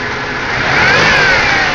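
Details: Buick Regal with supercharged 3800 Series II V6 at about 213,000 miles, under the hood, revs up smoothly, its high supercharger whine rising and falling cleanly; normal running.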